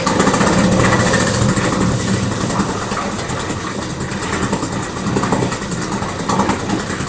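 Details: Outboard motor that had been submerged and dried out, cold-started after four hours of cooling, on full choke with a little throttle; it catches and settles into a steady, slightly uneven idle with no knocks.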